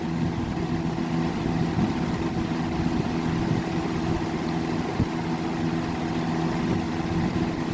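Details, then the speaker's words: 1994 Lakewood Comfort Edge model 200i box fan (motor 60 Hz, 2.1 A) on 122 V, high speed: a steady, even hum and soft whoosh of air with no rattles, ticks or speed wobble. It runs smoothly. "Moves pretty decent air. I mean, these 3rd gens are pretty good fans. I mean, they move good air."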